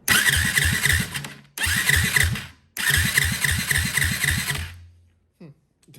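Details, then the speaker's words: 2004 Yamaha WR450 four-stroke compression test, spark plug out and no carburetor fitted: light, easy cranking puffs with little resistance, gauge reads only about 30 psi. Low compression; valves to be checked next. "30 psi. Don't tell me this is another YZ 450 where it runs, but apparently has no damn compression."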